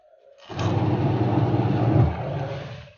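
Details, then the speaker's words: 14 kg twin-tub washing machine after gearbox repair for rough noise and weak wash rotation; wash drive now churns steadily with a low hum, no knocking or grinding, and the pulsator holds up under hand braking; normal wash agitation. "hai oke dan suaranya sudah halus Ya teman-teman sudah halus"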